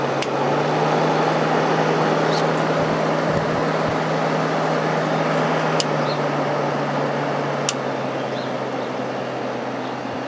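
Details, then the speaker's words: Vintage Kenmore (Whirlpool) 5,000 BTU window air conditioner, likely Matsushita rotary compressor, running briefly on a warm day and already cold: steady low compressor hum, even fan rush, light clicks, very quiet; normal compressor running. "kind of sounds like a Matsushita compressor so I'm guessing that's what it is this thing has not been running that long and it's already cold so it's pretty impressive it's pretty warm out here right now it's very quiet"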